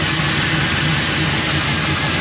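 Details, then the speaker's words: Boosted LS turbo V8 in an HZJ80 Land Cruiser, after fixing a leaking wastegate: smooth, steady low idle rumble with no ticking or puffing; cold-start exhaust leak ticking now gone, all 8 cylinders firing. "It sounded dog shit. It sounds awesome. No leaks, we've got 8 cylinders."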